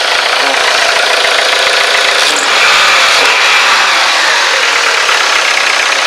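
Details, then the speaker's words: Dodge Neon 2.0 idling outdoors on a warm day after a temporary fix of the rattling exhaust flex flange: a steady, even idle with a smooth hiss and no rattle, so the exhaust sounds healthy. "I don't know but uh sounds really good no more noise"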